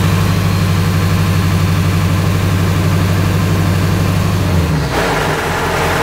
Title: Truck making a weird noise.